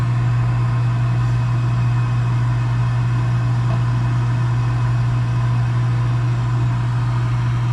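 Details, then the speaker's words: Gas package unit, newly replaced draft inducer motor (old one was extremely loud, like a lawnmower) after fresh hot surface igniter and cleaned burners: steady, even low hum, no rattle or scraping, constant speed; normal healthy inducer. "There it goes. Doing much better than the last one."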